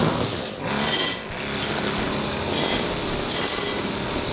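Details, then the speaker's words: Husqvarna two-stroke string trimmer after its carburetor was disassembled and reassembled (diaphragms serviced), tested with the air filter off: a high buzz revs up and falls back crisply, taking throttle without bogging or sputtering. High setting may need slight tweaking; otherwise normal running. "maybe some slight tweaking of the high still but that's about it yeah a okay I think that's got it I think that's got it"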